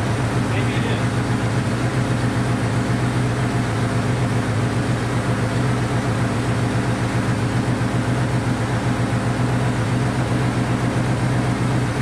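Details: Honda CB500 four-cylinder after carb rebuild and float reset, on auxiliary tank; steady but uneven beat with a faint stumble, firing on all four but rough, not holding clean idle.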